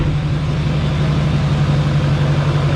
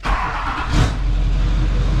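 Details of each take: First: 2004 GMC Yukon 2500 with a swapped LBZ Duramax diesel, first start: it fires, dies, then settles into a deep, steady idle rumble with no knock. Fuel then poured underneath; owner guesses the injector return line. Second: LBZ Duramax diesel swapped into a truck, first start: catches and settles into a steady, even diesel run with a brief rev rise, no odd knocks; runs, though fuel pours out underneath, suspected injector return line.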